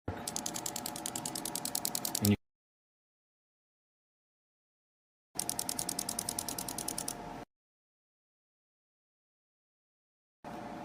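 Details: Suspected internal engine knock: sharp metallic ticking about three per second in short bursts over a faint engine hum, cause unconfirmed, possibly pointing to an engine rebuild.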